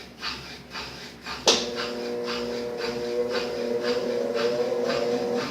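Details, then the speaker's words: 7 kg Brastemp washing machine, previously humming (ronco) and written off by another technician. After replacing the capacitor, the motor clicks on and settles into a smooth, even hum with steady rhythmic swishing, running normally. "funcionando perfeitamente sem nenhum problema o equipamento"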